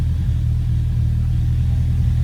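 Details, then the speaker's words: Honda after oil leak repair, second start, check engine light on and power steering fluid empty: steady even low rumble with no knocks, misses or whine; normal idle. "But so I got to check engine light. But other than that, sounds amazing."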